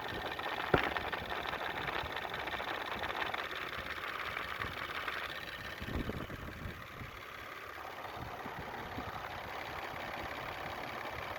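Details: 2000 Toyota 4Runner 3.4L V6 petrol idling with steady diesel-like ticking, roughly four ticks a second.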